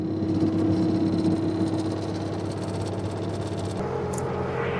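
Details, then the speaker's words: Bobcat T190 diesel skid steer after fan drive repair, new alternator belt and coolant: even, steady idle with low smooth beat, previous fan drive rattle gone; normal idle. "that sounds so much better not having that rally fan Drive"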